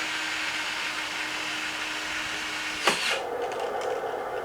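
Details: Original obsolete R.A.D. toy robot, arms closing and opening: thin steady motor whine, a click as it changes direction, then a higher even hum; small gear motors running fine.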